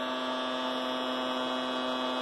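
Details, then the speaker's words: Anycubic i3 Mega 3D printer as power increases at print start; steady, constant buzzing hum with a nasal edge; something makes the frame vibrate, and pressing on the platform or bottom makes the sound go away. "something is vibrating if I am a first on the platform or the bottom here yeah you can notice that the vibrating sound goes away so it is really loud"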